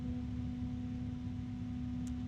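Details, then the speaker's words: PC case fan at full speed, normal but loud: steady low hum with a constant tone, no rattle or ticking, estimated around 39 dB. It sounds louder than a Noctua NF-A12x25, though lower pitched. "okay that is pretty loud actually sitting here with next to me it's different maybe it is actually 39 DB"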